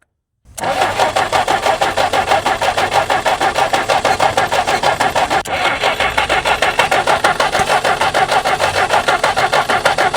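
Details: Jeep stored unrun for 25+ years, first start attempt on hand-fed fuel, varnished old fuel: catches and chugs in steady, uneven beat of about three pulses a second, rough and struggling.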